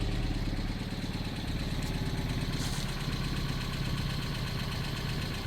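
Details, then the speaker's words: 2025 Kia Soul, 12,985 miles, idled nonstop for a year and likely run low on oil, now sludged: loud clattery, chattery idle with fast regular knocking, smoke from the tailpipe, possible broken motor mount; engine knock from oil starvation. "But you hear how bad that thing sounds? I mean, it is just clattery, chattery."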